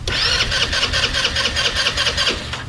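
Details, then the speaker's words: Chinese scooter sitting nine years, first start attempt with key on and no throttle: starter spins the engine in a quick, even chatter for nearly three seconds and it never catches; cranking fine but no fuel coming in yet. "sure you don't want me to open the throttle at all ain't got no fuel coming in here yet"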